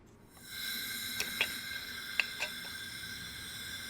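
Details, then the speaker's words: Blown Mazda Miata engine out of the car, cold, during a leak-down test: steady strong air hiss with almost 100% cylinder leakage past a valve that is not sealing. "almost a hundred percent leakage but you can hear it hissing it's the mouth not close it's not top said try turning the crank slightly till we get it to where it seals all right sealing the valves it's specifically the right valve this valve is not sealing"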